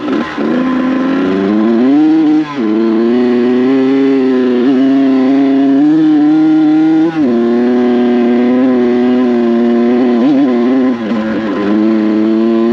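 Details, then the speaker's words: Kawasaki KX100 two-stroke on a paddle tire in Logandale sand, first ride: revs hang, wander and stumble at full throttle instead of climbing; bogging under load. Owner unsure whether the small tire, too much tire pressure or a poorly running carb is to blame. "This bike is struggling. Let's turn around. This thing is running like poo-poo! Running like shit, bro. This thing ain't working."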